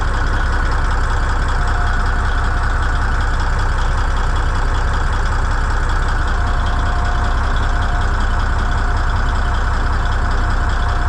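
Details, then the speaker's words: Old Cummins N14 diesel, first start after a new ECM install, no ECM codes, one pressure sensor still to be ordered: settles into an even, steady idle with a smooth low rumble, no knocks or misses, runs good. "yeah that's good no-tech engine light can make these old n14s run good here"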